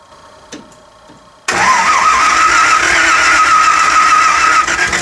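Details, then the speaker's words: 302 V8 with a distributor cap rubbing: it runs rough with a hard, rapid metallic hammering of about three to four per second. Spark knock, blamed on 87-octane fuel with 12° timing advance; racing gas is likely needed. "it's got 87 gas with the 12 after one p but it shouldn't knock that loud"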